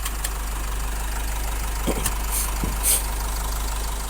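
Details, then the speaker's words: Isuzu 1.9 diesel at idle: a few sharp clicks close together as the magnetic AC compressor clutch snaps in and out too quickly; a widening clutch air gap is suspected as the cause, not confirmed. "ตัดแล้วคอมแอร์ตัดต่อไวมากการตัดต่อของแอร์จะไวหรือช้าผมจะถามลูกค้าก่อนถ้าลูกค้าไม่เคยไปซ่อมระบบแอร์เลยผมจะมองไปที่ตัวหน้าคลัชคอมAirซึ่งเป็นคลัทช์แม่เหล็กตัวนี้ถ้าระยะมันยิ่งห่างเท่าไหร่ในการจับหรือปล่อยของคลัชแม่แม่เหล็กเนี่ยมันจะมีเสียงดังขึ้นมากเท่านั้น"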